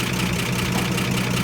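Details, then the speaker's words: 1955 Chevy Bel Air inline six after a tune-up and cleaned firewall ground wires; steady, even low idle with regular firing pulses and no skips or knocks, so it runs healthy. "Purring like a tractor should. It is a mess, guys. It is a mess. But we got it. It's running."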